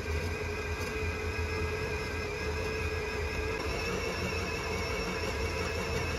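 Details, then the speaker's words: Bakery dough mixer kneading Berlin doughnut (beignet) dough on second speed at about 9 minutes. Steady motor whir with soft, uneven thumping of dough against the bowl; dough gaining strength, nearly ready. "des fois on l'entend que la caisse qui veut dire qu'elle est bonne"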